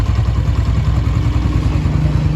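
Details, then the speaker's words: Honda CG125 at slow idle after tappet adjustment: smooth low steady idle with an even beat and no ticking; previously noisy valve train now quiet and healthy. "अभी ये slow पे खड़ा हुआ है। कोई आवाज नहीं है इसमें। ये देखें बेहतरीन हो गया है।"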